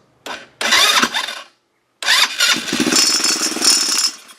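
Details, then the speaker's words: Chinese 150cc ATV left sitting outside for years, after rewiring a replacement key switch that blew fuses: starter whirs, engine catches and putters unevenly a few seconds then dies; sealed carburetor clogged inside despite cleaning. "and it dies and I took this carb out and cleaned it but I can't clean the inside and I know he probably ran non-ethanol fuel"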